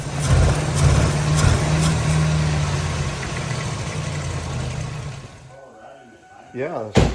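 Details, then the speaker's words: 1997 Lincoln Town Car Signature that sat 2 years after timing chain failure: rough, uneven idle with loose clattering front-engine rattle about two beats a second, then dies; owner unsure if chain or tensioner, supposedly replaced, unconfirmed. "here's some rattling around the front there i don't know if it's a timing chain rattling or the tensioner supposedly that stuff was supposed to have been replaced"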